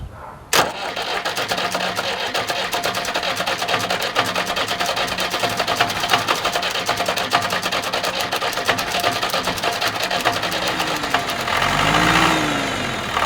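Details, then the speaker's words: Old diesel tractor, glow plugs briefly preheated, after milky water-contaminated hydraulic fluid drained and oil refilled: long cranking drone under a roar, never settling to a clean idle; hard starting, owner suspects insufficient fuel, later cleaning water-separator and fuel filters. "this is the reason why it is starting so badly. Maybe it's not getting enough fuel."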